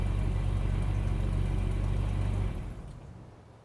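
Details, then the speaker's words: Bitter SC (SC 377), Bosch L-Jetronic fuel injection, first cold start a day after replacing the fuel injection harness. The cold engine catches and runs with a steady, even low pulse and no stumbling before the sound fades; the cold start problem is judged solved. "based on this result I would now argue that the cold star problem of sc377 is solved and I hope that from now on the car will run when I want it to run and not when it wants to run"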